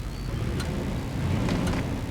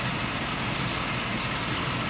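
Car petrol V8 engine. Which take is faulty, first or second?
first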